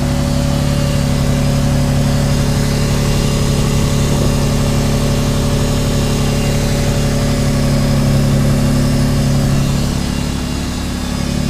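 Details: Subaru SVX after replacing front (driver's side) knock sensor and all 23-year-old vacuum lines, idling, no check engine light: steady even idle, constant hum, no knocks, misses or hunting; normal idle.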